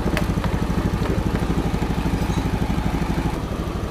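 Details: 2014 Honda Beat FI, hard-starting, after scanner injection service setting injector value to 2: steady even putter about three beats a second, no hunting or misses, now starts easily without throttle; normal idle.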